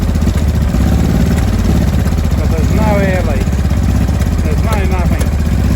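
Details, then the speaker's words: 2005 Honda Deauville NT650V V-twin, cold start on full choke after carburetor refit (vacuum pistons repositioned, pilot screw set): deep uneven beat with popping and banging, attributed to the engine being cold. "there we go as you can hear it's running popping and banging still full choke here at the moment"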